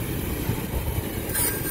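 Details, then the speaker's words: Refrigeration compressor with the pressure switch jumped out and the condenser fan not running, beginning to overheat: low labouring rumble, then a sudden sharp high hiss about halfway through as the internal relief valve vents. "yeah you can hear the internal relief valve letting loose so let me go here"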